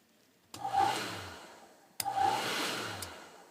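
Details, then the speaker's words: Aprilaire Model 50 current-sensing electronic relay bench test at about 23 V: a crisp click each time the load engages, roughly two seconds apart, and releases; relay engaging and disengaging properly. "I don't know if you guys can hear that clicking but engage it clicks it might disengage it it turns it off"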